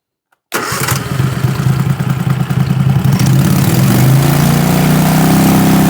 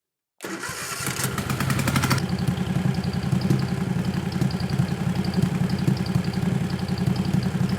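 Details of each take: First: 20 HP Tecumseh twin-cylinder racing lawn mower engine with dual 34mm PVK carburetors held at 3,500 rpm: even, steady drone with no hunting or misses; pilot jet, needle clip 3, main jet and carb sync judged correct, engine basically tuned. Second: 20 HP Tecumseh twin-cylinder racing mower engine with dual 34mm PVK carbs, idle test after setting both air screws to 1.5 turns: cranks, fires, then idles choppy and uneven but fuller and stronger. Mixture suspected to have gone from lean to slightly rich.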